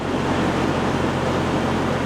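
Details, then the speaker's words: Detroit DD13 diesel truck idling after replacing the drive belts; steady, even low drone with no chirp, squeal or belt squeak, pulleys spun freely, normal idle. "more squeaking that's it was a simple job"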